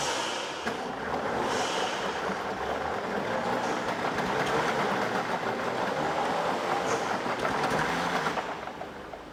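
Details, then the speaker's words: A 1964 Lamborghini R2 three-cylinder diesel tractor's starter churns evenly at about three turns a second for nine seconds with no firing. The owner suspects low fuel delivery after it ran very low, so the lift pump and filters may need priming. "so cracking the lines and cranking it over didn't seem to really be moving enough fuel it looked like um just wasn't pushing enough air out and enough fuel out"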